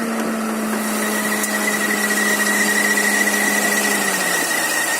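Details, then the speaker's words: New Chevrolet Niva at 14,113 km, idling: constant high whistle that dips slightly in pitch near the end. Owner suspects the alternator bearing; spraying water seemed to stop the front bearing whistling. "Новая машина, хотя засвистел подшипник. Приехал сейчас в сервис. Думаю, что подшипник генератора."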